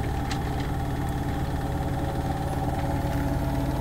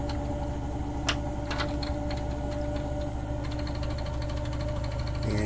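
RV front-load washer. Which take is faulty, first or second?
second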